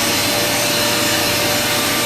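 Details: Free Hoover vacuum just repaired and reassembled, switched back on; steady high-pitched motor and fan whoosh, even with no rattle or scraping, loud, likened to a Hoover Pure Power, sounds much better than before.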